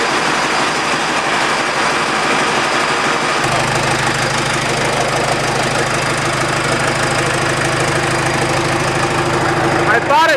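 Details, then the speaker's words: 68 Bronco with 4BT Cummins diesel, right after fitting new liquid-filled motor mounts: idle with uneven, loud chuffing over the clatter. Exhaust leak where the downpipe popped off, not fully locked on; vibration appears much reduced. "funny well it's kind of hard to tell if it's quieter uh because my down pipe popped off i guess i didn't have it locked on there completely"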